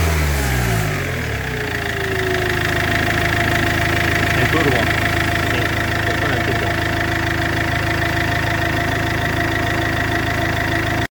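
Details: Iveco 2.3 16v diesel at idle: a steady thin whistle rides over the rattle, from a damaged turbocharger.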